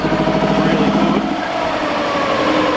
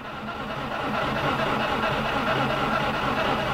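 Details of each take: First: 2000 Subaru WRX GC8 that sat untouched for 11 years, fuel system cleaned and a fuel pump fitted: uneven, lumpy idle with a wandering beat; rough idle, owner suspects it is running very lean. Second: 2000 Subaru WRX GC8 with 310,000 km, sat untouched for 11 years, cranked without fuel to build oil pressure: even, brisk cranking for about five seconds with no grinding or clunks. Normal cranking.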